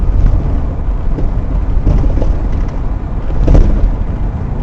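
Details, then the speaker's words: 2000 Toyota Sienna over bumps, rear camera: dull metallic clanking over road rumble, front struts already replaced; cause found as worn rear shock absorber bushings, fixed by replacing rear shocks. "I found out that uh the main reason why you can hear the clanking noise because of warm down bushing on shock absorber"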